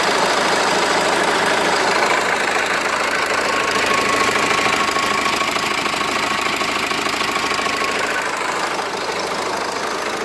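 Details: Renault Laguna 2 phase 2, hot engine at idle. Fast, fairly even ticking knock, roughly three per second, over the idle; it appears only when hot at idle and disappears as revs rise; cause unknown.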